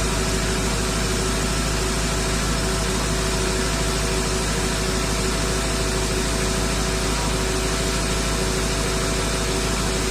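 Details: 2006 Ford F-350 6.0 diesel after a crank no-start from debris sticking the ICP actuation oil pressure regulator open, now running with desired and actual ICP 1300: steady even diesel idle, no misses or surges; normal idle.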